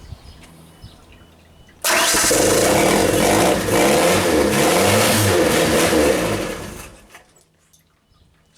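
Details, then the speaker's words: 1992 Genie boom lift engine, not run in two years; fuel pump has filled the carb bowl, no throttle: catches, stumbles at uneven idle with black smoke, possibly rich, then stalls; ignition/safety relay suspected of cutting it. "the black smoke yeah running a little Rich maybe let's try again start stall or start run stall that's what it is right now"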